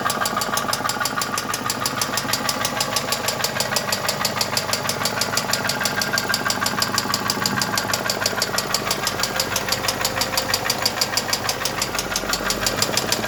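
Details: Mercedes M111 2.2 engine at idle: loud, steady knocking at roughly three beats a second right through the idle; clear internal engine knock.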